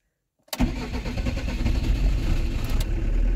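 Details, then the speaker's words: Camper van diesel restarting after filter change during a service: air in the fuel line, it stalled once, longer preheat tried; fires abruptly then chugs lumpy and uneven before settling and running. "Il y a quand même un peu d'air, hein, vous voyez. Je vais essayer de préchauffer un petit peu plus longtemps."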